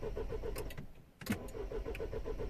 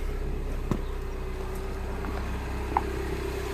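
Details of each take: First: 2010 Mini Cooper S 1.6 N14, non-runner: starter cranks evenly about eight beats a second, pauses, cranks again, never catches; no crank or cam sensor signal reaching DME, very low fuel pressure while cranking. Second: 2010 Mini Cooper S 1.6 N14, idling after a fix to the crank/cam signals: even idle hum smoothing and rising slightly after a few seconds, no misses or knocks; removing the fix stalls it, faulty DME.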